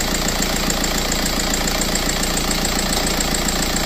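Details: TDI turbo diesel in donor car, tested before removal for Tacoma swap, vacuum gauge on tandem vacuum pump reading about 28–29 in: steady evenly paced idle, smooth rhythm, no stumble or irregular knock; normal diesel idle.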